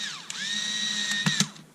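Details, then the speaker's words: Black & Decker 3.6V Gyrodriver screwdriver being rebuilt: steady high motor whine on the slowest setting, then a clean instant stop with a short clack and no run-on; the stop function works. "Oh, look at that. I love the way that just stops."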